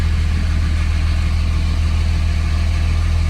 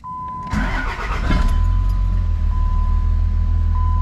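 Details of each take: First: 2005 Dodge Ram 2500 diesel: steady, even low idle with no misses after starting on a newly changed, unprimed fuel filter; water-in-fuel light now off. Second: 2005 Dodge Ram 2500, 5.9 Cummins diesel with water-in-fuel dash light lit for days: cranks and catches with uneven clatter, starts a little rough then smooths out and runs fine; owner suspects a little water at the filter bottom.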